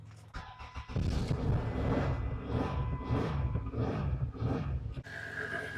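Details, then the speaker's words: Vehicle with an absolutely dead battery, jump-started with a UTRAI JS-10 6000A portable jump starter (red to positive, black to negative): brief starter whir, then the engine catches and settles into an uneven idle outdoors; normal start. "Again, absolutely dead. Let's go plug it in. Red to positive, black to negative. Hear a little click noise."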